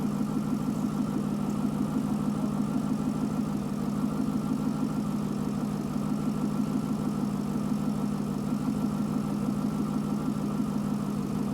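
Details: Chevrolet Corvette V8 with P0300 random misfire code, warm idle: low steady drone with an uneven, loping beat about three per second; injectors found firing at the wrong time, cam/crank correlation being checked. Cause not yet confirmed.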